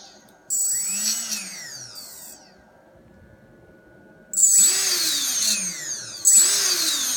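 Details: RS2205 brushless motor: three throttle bursts, each with the motor pitch sweeping up and back down and a shrill steady screech on top; motor screeching under power.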